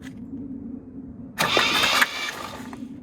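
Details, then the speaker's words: 1967 Jeep CJ5A with Dauntless V6, found sitting in a garage, first crank after new battery cable ends: short burst of cranking trying to catch, no mechanical clanking; turns over freely and sounds healthy, needs fuel, no oil pressure gauge hooked up. "But it sounds healthy. I didn't hear anything mechanical clanking away."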